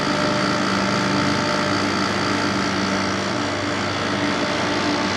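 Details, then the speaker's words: 1995 Carrier VisionAire A/C after clean-out and fan remount, first start: steady, even fan rush over a smooth compressor hum with no rubbing or rattle; sounds different and good. Normal running. "oh it sounds different it sounds good it really sounds good that's awesome"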